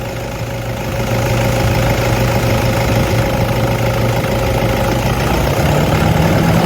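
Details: Toyota D4D diesel at steady idle with a constant low whirring hum and faint whine over it, identified as idler pulley noise.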